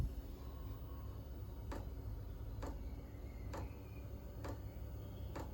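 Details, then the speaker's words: Chinese diesel air heater newly installed in a Ford Transit Jumbo camper, first start-up: crisp single ticks about once a second, roughly 65 per minute, over a low fan hum as the dosing pump meters fuel normally. "Pump's kicking off. There are some videos on YouTube of people trying to make these quieter. I think none of them work completely."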